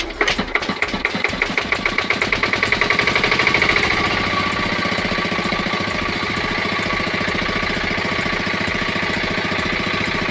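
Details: 5 hp single-cylinder diesel engine after tappet (valve clearance) setting: even thump about three and a half beats a second, settling into steady run once it catches.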